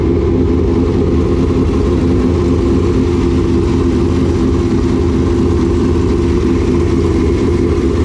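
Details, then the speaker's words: Newly installed engine in a dirt late model race car after adjustment: deep, steady, even rumble at constant speed, no knocks or misses; engine running clean and healthy. "all right i guess that'll do i don't know i think they both sound great they both say they found like they sound like first and second place"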